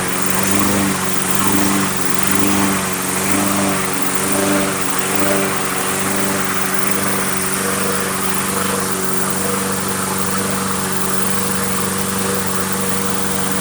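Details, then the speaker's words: Briggs & Stratton Quantum Craftsman mower after storage with old fuel, started on starting fluid with air cleaner off: engine hunts up and down for a few seconds, then settles into an even run; full carburetor cleaning still suggested. "All right, so it started up, it ran and surged for a bit there, right? And then it seemed to settle out."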